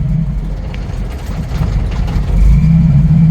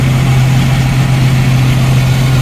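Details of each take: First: 1990 Jeep YJ 4.2L 5-speed with carburetor problems, warming to normal temperature: low uneven rumble surging and sagging under 1000 rpm, needing throttle, then stalls; rough idle near stalling, carburetor suspected. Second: 1990 Jeep YJ, 4.2L, 5-speed, carbureted, warming up, idling at about 900 to 1,000 rpm. It gives a steady, even low rumble with no misses or stumbles, a smooth normal idle.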